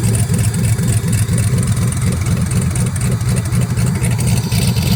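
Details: Truck after injector install: loud raw rumble with a steady lumpy beat and no muffling, holding a strong idle with no exhaust fitted; sounds healthy.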